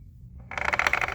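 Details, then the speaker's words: Removed transfer case, shaft rotated by hand: quiet start, then about a second of rapid sharp metallic internal clacking; owner suspects a damaged planetary gear. "yeah it's pretty bad uh I would say that it's not supposed to do that so yeah she's bad right she's she's messed up somehow but yeah it definitely sounds like one of the planetary gears is messed up"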